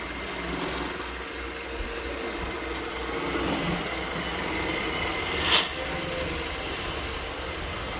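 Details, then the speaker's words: Roomba S9 after cleaning head replacement: steady whirring with rough puffing grind underneath and an odd sharp click; noise persists, new cleaning head did not fix it. "But it seems like it's still making this puffing sound, puffing grinding sound."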